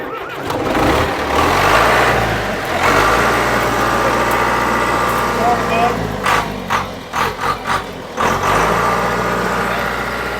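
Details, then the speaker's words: John Deere 455G track loader, about 1991-92, diesel reportedly last started a year or two ago: catches after a brief crank and settles into a steady even idle with a low regular beat; normal start. "But you just when you turn something over, it's even something here that makes two rounds and start. It's really impressive."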